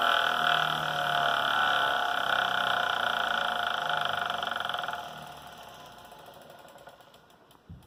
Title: Wahoo Kickr snap knocking noise 2019